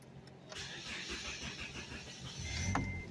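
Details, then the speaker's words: 2007 Scion XD towed in with no-start: engine catches briefly on a shot of brake cleaner sprayed into the intake then fades out; no fuel spraying at the rail, fuel pump suspected, pointing to a fuel delivery fault. "Oh yeah. So we got a problem with the fuel over here."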